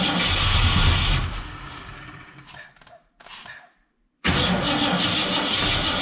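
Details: 1967 Ford Fairlane, not run in 7 years: engine catches and sputters briefly, falters and dies, then cranks again with uneven firing. Won't stay running; owner unsure whether it is fuel and says the carburetor needs a rebuild.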